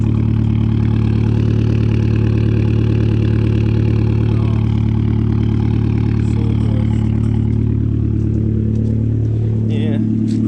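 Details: 2012 Fiat Abarth after the misfire was fixed with a replacement cloned ECU, running a straight-pipe exhaust with a sport cat and no muffler; deep, loud, very even idle with no skips or lumpiness, a clean healthy idle.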